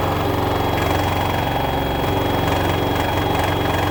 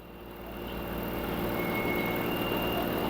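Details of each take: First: LG front-loader 10 kg wash/7 kg dry smart inverter direct-drive washer, loaded, at customer's home: loud steady jet-like roar during high spin with rapid buzzing rattle; top cover, dry duct and bearing checked fine; control board mounting vibrating. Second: LG 10 kg washer / 7 kg dryer front loader, smart inverter direct-drive motor, at maximum spin RPM with the main control board moved off its bottom-plate mount: smooth, even rushing whir with no knocking or grinding; normal spin noise.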